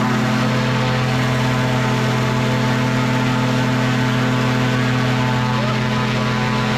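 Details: Microlight two-stroke with three-bladed prop at high rpm: loud steady buzzing drone and prop hum at one pitch, no dips or stumbles; held its RPM with serious power, pulling clean.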